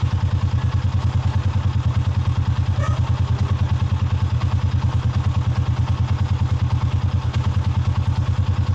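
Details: Sniper 150 motorcycle idle, with a hard-starting complaint and a normal idle of 1,300–1,500 rpm: a steady, even low thump at a quick regular beat with no misses or rattles; a clean idle.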